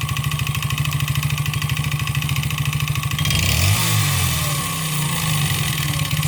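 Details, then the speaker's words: 139QMB 50cc scooter engine with ground-down shortened piston skirt and sanded cylinder giving large clearance: hollow rapid knocking about three per second at idle, harsh rattle when revved; deliberate piston slap test. "Patrzcie jakie to ma luzy więc na pewno usłyszymy ten dźwięk setup i sprawdzamy jak brzmi Piston Slap"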